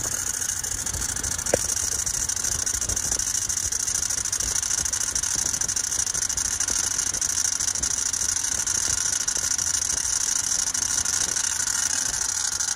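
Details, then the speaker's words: 2008 Range Rover Sport 4.4L V8, first cold start of the day: thin steady high squeal over quiet idle that owner says always occurs at first start, cause unknown. "don't mind that squeal either I don't know why it always sounded like that when it first starts right here my first start up for the day"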